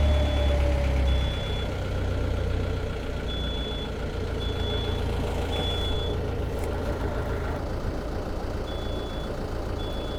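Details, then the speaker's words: Perkins 4.108M four-cylinder 50 hp marine diesel after six years unused, under load: steady unbroken low rumble, no knocks or misses; oil pressure and temperature good, some blue smoke mentioned; healthy smooth running. "sounds good oh that sounds great started right up too I haven't ran it in five years or six years I think it's been six years"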